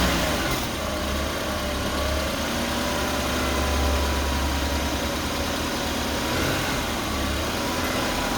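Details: 2015 BMW 228i N20, 74,000 km: petrol engine idling with a low rumble and a faint, steady high whine in the engine bay; owner unsure if normal.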